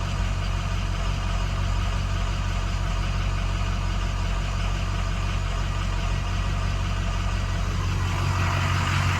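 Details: 2006 6.0L diesel, hot crank/no-start with the ICP sensor unplugged, after a new ICP sensor, pigtail and IPR: steady, even starter cranking that never catches.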